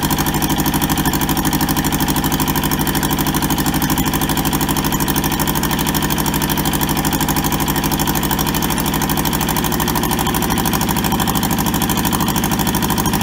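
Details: Toyota SDK4 diesel skid steer, bought sight unseen and arriving rusted and frozen, on its first restoration start: jump-leaded starter and a small temporary diesel tank. Steady, even diesel chug at idle, about 2.5 beats a second, no knocks or misses; runs healthy.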